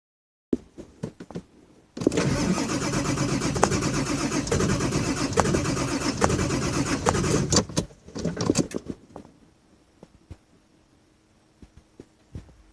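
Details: 2000 Ford F550 7.3 diesel at probably about 60°F, needing new injectors: a few weak turns, then a long rough spell of cranking before it barely catches and dies away; hard start.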